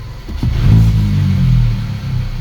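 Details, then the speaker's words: VW Polo R Line 1.2 TSI petrol after new plugs and air filter; when the clutch is pressed to select gear, revs climb high and hang before dropping. "when you put the car in gear the r it's just starts raving High then goes down so you can pull away just using the clutch cuz the the revs are sticking"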